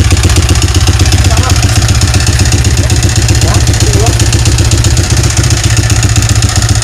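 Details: Yamaha Vixion motorcycle engine before repair, smoking, oil-starved from a leaking clutch cover gasket: regular rough clatter nearly four times a second over the idle; piston-to-cylinder clearance (piston slap), fixed by replacing block and piston.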